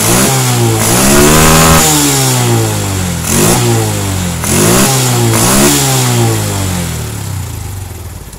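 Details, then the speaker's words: Carbureted Honda Revo Absolute/Blade single after the air screw and idle screw were adjusted for fuel economy: repeated blips with clean pickup and an even return, with no misfire or stumble. Normal revving. "Kemudian kita setel di bagian baut langsam ya. Nah, ini kita setel. Nah, ini udah pas."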